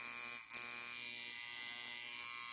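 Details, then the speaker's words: Newly assembled, unused coil tattoo machine with rubber bands fitted, running dry at about 7–7.5 volts: steady, even high-pitched buzz with no stutter or dropouts; normal, well-tuned running, strong enough for a 7 or maybe a 9 round. "Right there, I'm running at about 7 volts, 7.5 volts, so that's pretty good."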